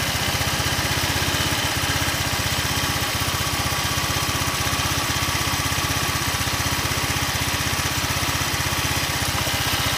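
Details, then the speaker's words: Old Honda Vario 125 scooter, after a full rebuild and with boiling radiator coolant, idling before a valve clearance reset: fast, fairly even tick about four per second; valve train noise, rocker/tappet suspected already worn. "Kalian saja saya coba untuk setel ulang klepnya karena tadi kan berisik, meskipun sebenarnya ini templarnya sudah agak oblak ya, mudah-mudahan bisa sedikit lebih halus."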